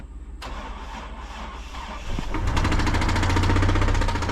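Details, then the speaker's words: GMC Envoy: engine cranks and catches, then idles with a quick, steady light knock about four a second; owner thinks it's not from the bottom end, suspects something loose under the valve cover, and doubts a thrown rod; cause unclear. "Like I said, it'll crank up, you know, but it just, whatever that is, that little knocking, it don't really sound like it's coming from the bottom or nothing."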